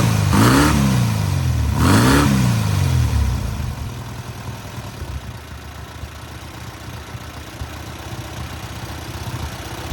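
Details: Newly rebuilt air-cooled VW 1600cc flat-four on its first start and break-in: two quick sharp throttle blips, then back to a steady, even idle with no knocks or ticks; normal running.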